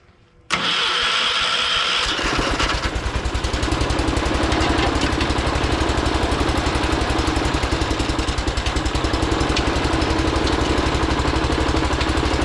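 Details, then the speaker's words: John Deere 212 garden tractor with an electric fuel pump, started after installing a new solenoid: starter cranks briefly, engine catches and settles into a steady, slightly lumpy idle; a little unhappy but starts and runs fine. "Yeah, buddy. She's a little unhappy, but she started"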